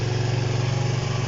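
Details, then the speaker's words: Honda CB125 RS single-cylinder motorcycle after kick-starting: steady thumping idle for now, but it won't rev and stalls soon after starting; owner suspects fuel starvation, not confirmed. "See, it's running fine now. It's running away there. But it'll stop in a minute, so it will. Hear that? I don't know if it's getting starved for fuel or what's going on, but it just doesn't want to stay running."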